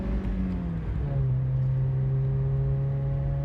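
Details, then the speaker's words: 1987 Toyota Corolla FX16 driving, stock exhaust with Magnaflow catalytic converter and cheap Totalflow muffler: steady engine drone with a light uneven metallic rattle underneath; exhaust rattle, owner suspects the rear heat shield. "there right there there's a little bit of a rattle it's got to be the heat shield back there it has to be that heat shield that's okay"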